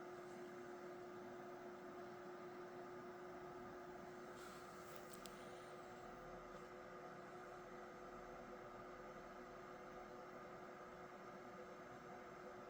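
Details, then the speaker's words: Gigabyte GA-965P-DS3 board with Intel Q6600, Pentium 4-era power supply: a faint, steady single-pitch whistle over a quiet hiss, coming from the power supply, probably coil whine. "Don't know if you can hear that, but there's a sort of whistling sound coming from the power supply."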